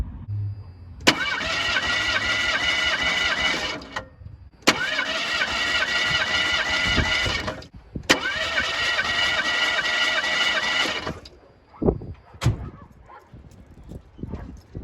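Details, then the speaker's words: 1985 Ford Escort wagon, 1.6 L two-barrel carbureted inline-4, compression test: three even, steady cranking bursts of about three seconds each; compression is consistent across all four cylinders. "there we go that makes me pretty happy that we've got consistent uh compression between all four cylinders"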